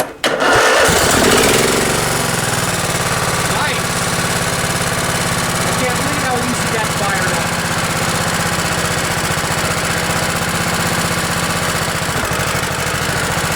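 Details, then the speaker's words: Craftsman LT1000 with 16 hp Kohler Command OHV single-cylinder engine, cold start at about 20°F after an ice storm, on choke: quick crank, fires at once and holds a steady, even putter without misses; normal cold start and idle. "well i'm gonna call that a success"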